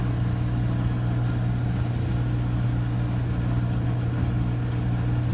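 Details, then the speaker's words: Front-load washing machine after door lock replacement fixed its no-spin fault: deep even hum at one steady pitch at full spin, no knocking, scraping or surging; normal spin cycle. "so it's going in the same direction only that means that it's starting its spin cycle machine doesn't want to go to spin for things that door is not locked and now it has a healthy door lock so it knows it's locked and now it's picking up some good speed"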